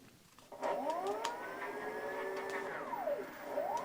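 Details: Bafang (8FUN) SWXU 36V hub motor on an electrified Giant Revive, after rewiring and fixing direction wiring: smooth whine rises as wheel spins up, holds steady, winds down cleanly; motor healthy.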